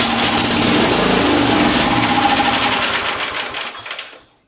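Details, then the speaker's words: MTD auction lawn tractor on good new battery, carburetor flooded: engine catches with fast rattling run a few seconds then fades and stops, won't keep running; owner suspects carburetor just needs cleaning, previous owner did everything else. "that's promising it looks like all i got to do is clean out this carburetor"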